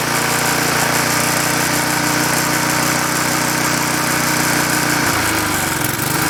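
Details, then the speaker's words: Klippo Champion mower, Briggs & Stratton Quattro 40 engine running rich and weak: uneven labouring beat wavering near five seconds; compression about 105 PSI fine, diaphragm work didn't help, flywheel-to-coil clearance found scraping. "not quite good as it seemed that running didn't get very much better with this um sensing of the diagram"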